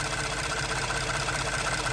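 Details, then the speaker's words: Ford F-150 EcoBoost warm idle: light, quick, even ticking from the high-pressure fuel pump plunger driven by the camshaft, a normal noise for this engine. "third source of noise you have a high pressure pump the pressure Rises fuel that's gonna make a noise too because there's a plunger every time the camshaft rotates it gets squeezed like a compressor"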